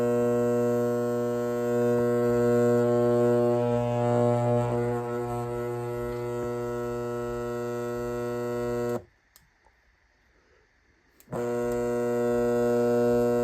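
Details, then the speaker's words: Lasko fan running with the blades removed: steady low electrical buzz and even drone with no mechanical knocks, like a garage door opener's AC motor; cause not confirmed. "Um, when you turn it on when the blades are not attached, it kind of sounds like a, you know, like a garage door opener. uh AC motor that buzzes."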